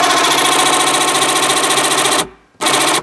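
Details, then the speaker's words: BMW Z4 convertible soft-top roof lock motor (drives cables to side locks), ignition on, engine off, open button pressed: small motor whirs with rough fluttering rattle, cuts out and restarts; plastic gearbox gear cracked or shattered, cables not driven. "And the reason for this failure is that inside this gearbox, it's a plastic gear, and it shatters or cracks, and then you can't spin it anymore. It doesn't work."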